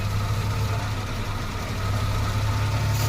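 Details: Maruti Omni, small vacuum pipe removed for demonstration: steady, even idle that rises fast and busy with no throttle input; returns to normal when pipe refitted; high idle from vacuum leak.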